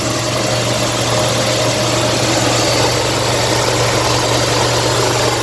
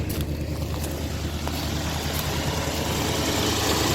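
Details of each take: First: 1957 Lincoln Premiere V8 first start after six months unused: smooth, even idle with slight ticking heard, normal after long storage; charging and oil pressure good. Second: 1957 Lincoln Premiere V8 just restarted after six months unused, idling smooth with a faint light tick on top; owner says ticking is usual at first start after long storage, likely dry valves or lifters.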